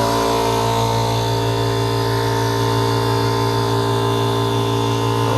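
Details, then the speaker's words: Air compressor in a workshop running normally during a before/after test of a DIY styrofoam-lined MDF/plywood noise enclosure with a hinged door: loud steady drone with a constant low pulse and even humming tones, no knocks or rattles. "Isso, se fizer as adequações melhores aí, ele fica melhor ainda. Fica praticamente sem barulho nenhum."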